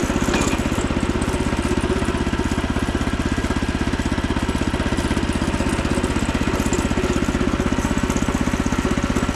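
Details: Frontier OS27 sawmill during the first cut with a newly fitted 15HP Harbor Freight Predator engine, replacing the 13HP Briggs & Stratton. Fast, even single-cylinder beat of about four per second holds steady without bogging; pulls strong and healthy.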